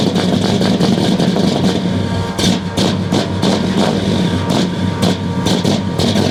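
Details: 1969 Buick Special Deluxe 430 big-block V8 with big cam, first start after over a year sitting: lumpy, uneven idle with irregular stumbles and misses, loading up; choke mechanically closed fully, running far too rich.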